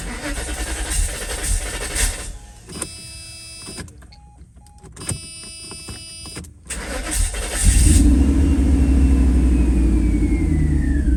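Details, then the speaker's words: 1991 Mercedes-Benz R129 500SL V8, later in the day after cleaning distributor cap and rotor and changing cam sensor: short crank, catches cleanly, steady even idle, no stumble, misfire or throttle hesitation, as it idled before its hard-start/hot-stall problem; normal start and idle. "Guys, this is later on in the day and it started right up, no issues, idling pretty good, no hesitation on throttle, doesn't seem to be misfiring, and this is about how it idled prior to having the issue."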